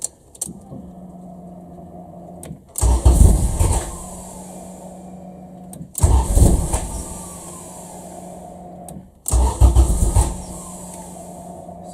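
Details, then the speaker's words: Honda Civic EF after swapping OBD0 wiring to OBD2: three cranking bursts of about two seconds each, sounding ready to catch but never running; crank no-start, plug wet with fuel, spark suspected present but being checked. "I think it probably is getting spark because it sounds like it's going to fire up but isn't quite doing that"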